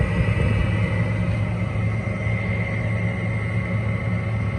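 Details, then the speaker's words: Window air conditioner, on standby in a hot, humid garage, starting after a capacitor replacement: steady loud hum and low drone with a constant whirring above it. The fan motor needs new bearings or replacing. "It starts. It's just louder than heck. So if you hear my voice raise a little bit, you're gonna understand why in a minute. Fan motor needs new bearings, or just downright needs to be replaced."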